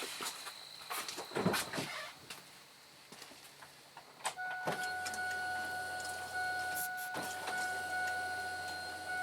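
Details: Key on after fuel pump replacement on a 1995–2005 Oldsmobile Silhouette, Pontiac Montana or Chevy Venture: steady low hum with a thin whine, the new pump priming normally; the line fitting then sprayed fuel at start.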